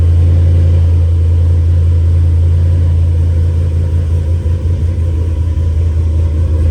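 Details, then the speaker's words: 2011 Chevrolet Camaro V8 after Isky cam swap and valvetrain work, run briefly before oil check: deep, loping idle with a steady lumpy rumble, no knocks or ticks; healthy choppy-cam idle, normal. "I kind of just want to start my car cuz that new cam sounds good."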